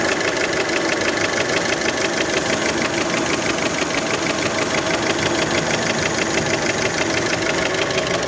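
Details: Warm Fiat Panda engine at idle: a sharp, even knock about three times a second, a solid mechanical knock from the bottom end; piston skirt slap is suspected but not confirmed.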